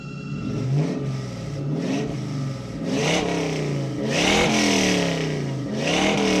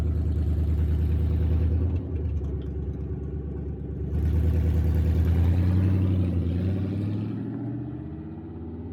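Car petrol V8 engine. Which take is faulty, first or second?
second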